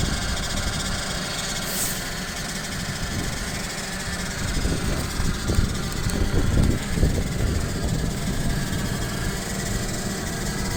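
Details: Toyota RAV4 CVT hums with a low drone and some rough knocking underneath on cold start below −20 °C while idling, until it warms up after about 5–7 minutes, then the sound disappears.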